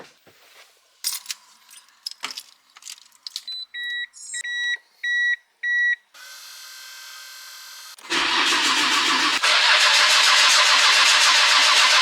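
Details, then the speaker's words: Nissan R33 GTR that died after parking, restart attempt: starter whirs steadily and engine spins but never fires; owner checks fuel pressure at regulator, cause not confirmed. "tried to start the car up, and we were getting nothing at all. So our aim is to try and figure out what could be causing the problem where the car just won't start."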